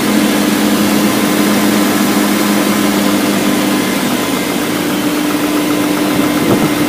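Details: BMW M62B44TU V8 with stock exhaust, at idle: loud busy idle with a light metallic clatter over a steady drone, timing chain rattle from a worn chain tensioner.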